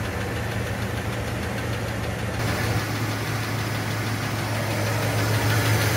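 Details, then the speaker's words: Cadillac V8 on cold start: a dull, fairly even knock about four times a second over the engine rumble; piston slap, with a piston slightly loose in the bore rocking as it reciprocates. "that you heard in the later video which happens to be coming from mild Cadillac here is what we call piston slap um bring the picture back up okay there we go so that basically is caused by the Piston you see up here at the top it's a little loose in the boore"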